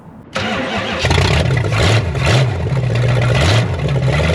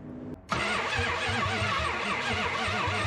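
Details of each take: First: 1972 Chrysler Newport, swapped 440 big-block V8, after adding ignition advance and filling fuel bowls: catches quickly, settles into steady lumpy idle with light blips, no misfire. Smooth idle; sounds better than before. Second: 1972 Chrysler Newport with swapped 440 big-block V8, sat since 2003, cranked with coil and spark tester hooked up: even starter beat about three pulses a second, never catches; no spark from failed distributor pickup, owner also doubts the high-performance coil.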